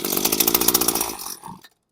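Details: Machine with broken primer bulb, choke off, just switched off stop; rattly high buzz catches, runs about a second then fades and quits; owner says it needs a primer bulb, maybe a carb clean.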